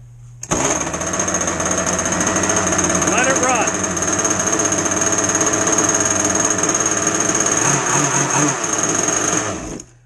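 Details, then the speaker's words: Two-stroke RC boat engine after a heavy flood, cleared by removing the plug and pulling it over several times: a high-pitched buzzing that runs unevenly with a wavering note while excess fuel clears. Rough running from flooding. "That should be pretty well unflooded. Now, normal flooding situations. We just pulled a couple times and you flooded it."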